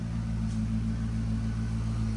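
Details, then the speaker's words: C6 Corvette Grand Sport, newly acquired rebuild project, warming up toward 175°: a deep, even V8 idle burble, smooth and steady with no knocks, ticks or misses. Oil pressure good, no leaks seen; a normal idle. "Dude, she's purring like a kitten, bro. Let's check for leaks. Seems good, man."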